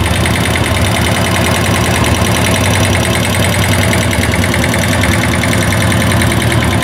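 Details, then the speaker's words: Italika Z150 motorcycle that would not rev past 6000 rpm, carburetor faulty, timing and valves rechecked: fast, rough tapping over an uneven, hunting idle; mechanic suspects an internal bottom-end knock, possibly the connecting rod, unconfirmed until opened. "pero yo estoy pensando ya analice todo lo externo estoy pensando que ese ruido interno es lo que le"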